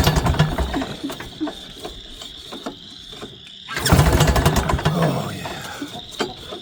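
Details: Northstar 10000 10kW generator from auction, unknown condition, dead battery, recoil start with old gas: uneven recoil pulls spin it with choppy chuffing, then quiet without firing; crank no start.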